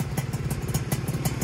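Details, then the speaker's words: Freshly rebuilt Yamaha F1ZR two-stroke first run, new block at zero oversize with new piston and new RTX racing exhaust, running in: even fast-idle pulsing about eight beats a second, crisp and steady, engine sounding smooth and healthy. "Ini mesinnya sudah naik dan alhamdulillah suaranya juga udah halus"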